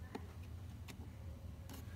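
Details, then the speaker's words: 2003 VW Jetta after replacing blown fuse number 14 (locks, windows, alarm failing, possible short); sharp lock clunks about a second apart over a low steady hum, actuators snap home cleanly and locks stay closed, working normally. "para intentar cerrar y abrir cerrar el seguro y así queda cerrado"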